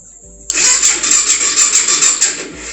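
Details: Starter cranks the 2004 BMW F650 GS Adventure's 650cc Twin Spark single-cylinder engine, fresh from long storage, with a steady, even rhythm for about two seconds but it never catches: crank, no start. Low or bad battery suspected.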